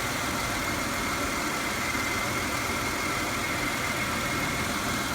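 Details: 2006 Chevy Impala after sitting two years, with one EVAP solenoid code stored. Smooth, steady idle with an even hum and no rattles, knocks or misses; the engine sounds fine.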